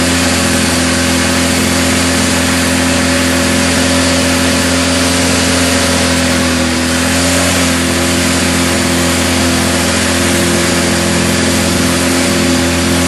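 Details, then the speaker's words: Craftsman GT6000 garden tractor, Kohler V-twin, after fuel pump replacement and carb rebuild, governor not hooked up; steady, high-pitched, strained roar that never settles to idle, sizzling. Engine over-revving without governor control. "Wow. I probably should look into hooking up the governor before I blow a head gasket."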